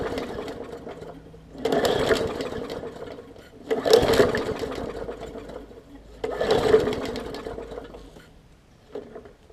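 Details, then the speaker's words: 2014 Bolens push mower, Briggs OHV engine, leaky carb needle and seat, fuel line clamped: short sputtering bursts catching a second or two then dying after pulls; heavily flooded, running rich, purging fuel. "so so so i think she's very very flooded you see it's spitting out today carb on this one"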